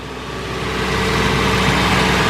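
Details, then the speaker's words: Engine running smoothly with throttle applied, even low hum and no chain slap; at idle a rod-knock-like noise came from timing chain slack due to a weak tensioner, replacement tensioner ordered. "and now the noise is gone just like that"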